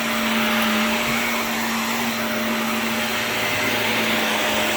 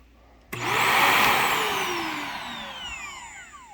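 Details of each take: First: Shark NV355 vacuum after motor main pod replacement: steady high-pitched motor whine with low hum, no surging or rattles, slightly strange wind-down sound; runs normally. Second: Shark NV355 vacuum after motor pod replacement, motor switched off: the whine slides down over about three seconds with odd warbling tones, though the unit works. Unusual motor wind-down noise, cause unknown.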